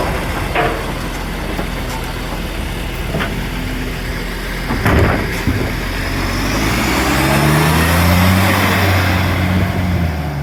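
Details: Diesel engine idling with a sharp puffing tick near four a second that quickens as it revs, an exhaust leak.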